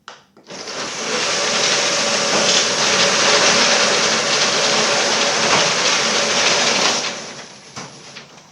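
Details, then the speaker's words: Old screw-drive garage door opener after nylon roller replacement: loud, steady whirring rattle for about six seconds of travel; 81 dB max, 71 average; owner suspects the old motor and screw drive cause most noise. "My stuff's pretty old. The motor's pretty old. I think a lot of the noise is coming out of the motor itself. And the uh the the screw drive is making a lot of noise."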